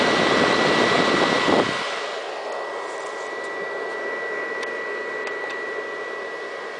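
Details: Xbox 360 console: a loud rushing roar drops to a quieter steady whir with a thin constant high whine. Loud cooling fan noise.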